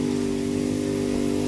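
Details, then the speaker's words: Craftsman DLT2000 lawn tractor with a swapped engine that would not climb hills, after transaxle repair and refill: steady mid-pitched engine drone holding speed climbing the hill, no surging or bogging; now drives forward and back normally. "This is where it wouldn't budge before. It just stopped right there. Yeah. Forward motion. Backward motion."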